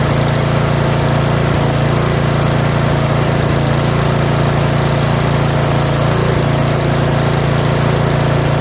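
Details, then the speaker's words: Yard Machines 21-inch 179cc OHV snowblower, a curb find, possibly on old fuel, at full throttle: loud, steady single-cylinder buzz holding even speed without surging or missing. "That's full throttle. That was full throttle. I'll let it run for like another minute."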